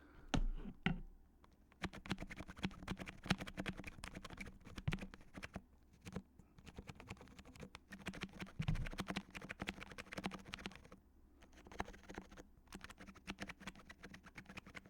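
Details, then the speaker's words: HHKB keyboard with black sliders and number-three silencing rings: repeated presses on the worst key give a faint scratchy rub on some strokes, a squeaky switch, likely the slider edges contacting the barrel. "So, you can tell it was really only on this key, but there are other keys that sound just as bad."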